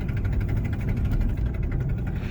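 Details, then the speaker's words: 2005 Dodge Dakota with the exhaust header rusted through where it bolts to the engine block: deep rumble with a sharp puffing tick on every firing pulse that gets louder on throttle; exhaust manifold leak, exhaust visible from the wheel well. "this is an o5 dodge dakota and if you can hear that it's got a really nasty hole in the header where it exhaust bolts to the engine block"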